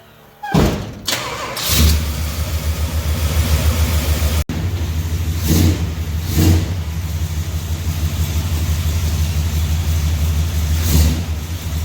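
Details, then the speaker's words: 400 big block long-bed truck outside with new spark plugs, after the head came off to fix the exhaust bolt holes: V8 catches and settles into a deep, even rumble with a few clean blips; no misfire, ticking or knock; healthy. "all right now that i see it outside on its wheels i kind of want it big block to drive long bed even sounds like something i would drive"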